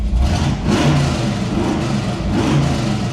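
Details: Old Chevelle V8 after fixing electric exhaust cutouts, both cutouts open: deep, loud, even rumble that swells cleanly on revs and settles back; healthy exhaust.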